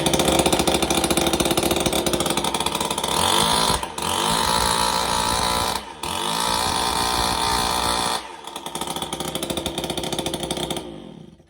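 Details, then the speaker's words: McCulloch SuperLite 4528 21.7cc petrol two-stroke hedge trimmer: crisp, even buzz holding steady revs with a few brief throttle blips; running clean and healthy. "so as you can see, it's running lovely."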